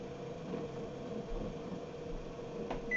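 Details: NordicTrack treadmill after drive motor replacement, tested at 1–2 mph: steady, even mid-pitched hum with one short console beep; new motor runs smoothly at low speed.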